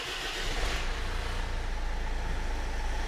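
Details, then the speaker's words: 2007 Land Rover Freelander 1 TD4 diesel after replacing high-pressure fuel pump with a secondhand one, antifreeze not yet topped up or bled: starts, settles into even idle clatter with no stumbling or knocks, no engine light, revs fine; normal. "we go we have no engine lights on and there we go people it starts it sounds good just give it a bit of a rev make sure it does rev"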